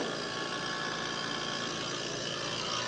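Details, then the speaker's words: Trane 5-ton R410A AC unit built 2020, compressor previously wouldn't start, after hard start kit install: steady compressor hum with fan rush and hiss, 19 A versus 20.8 RLA, cooling, slightly loud; running normally. "ya empezó a enfriar acá es un poquito fuerte el sonido pero creo que va a ir disminuyendo"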